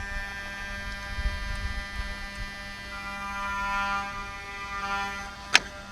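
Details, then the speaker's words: Mercedes 600 repaired throttle bodies connected to vehicle, ignition on only: steady electric buzz at even pitch, the throttle body's normal learning cycle with E-gas module. "first thing you hear is the buzzing noise that's learning"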